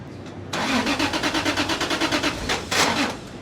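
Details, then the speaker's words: 2JZ-engined Nissan 180SX starting at dyno after crank angle sensor repinned: labored starter cranking with even compression pulses, brief catch; starter motor dying from repeated cranking due to bad wiring, being tapped; alternator wiring fault flattening battery. "At this point we tried so many times to start the car because of our bad wiring that the starter motor actually started dying, so we've just been giving it some taps."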